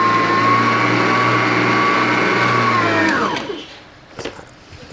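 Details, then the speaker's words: Grande Turbo EHM9595 mixer test after installing version 2 sync belt, safety switch and bottom cover: steady motor hum with clean high whine, even speed for three seconds, then smooth spin-down; working normally. "grande bekerja dengan normal."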